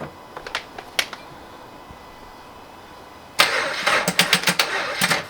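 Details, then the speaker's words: Turbo Toyota GR86 with new 1050cc injectors and a DeatschWerks 300c pump, right after fuel rail pressure was confirmed: a few faint clicks, then about two seconds of sluggish, uneven cranking that never catches, as the battery is too weak to start it. "No! The battery. It cock blocks us. God damn it."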